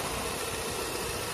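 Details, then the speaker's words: Ford Fiesta, new electric cooling fan not switching on as temperature reached red; engine hot, idling, positive injected at fan fuse: even whooshing fan over steady idle hum, no ticking or scraping; fan runs normally; cause was blown fuse. "já acionou, beleza? A ventoinha está acionada lá, ó, beleza?"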